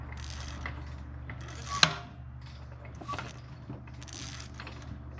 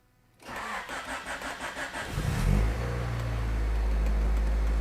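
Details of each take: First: 1989 Honda Prelude engine with valve cover and spark plugs off, turned slowly by hand through the compression cycle: a couple of sharp, isolated taps over a faint hum. Very poor valve lash is suspected. Valve train tapping. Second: 1989 Honda Prelude after fixing a wiggling cam gear, started without cooling fans: short crank, clean start, steady even idle with slight ticking considered normal, no misfire or knock; sounds healthy.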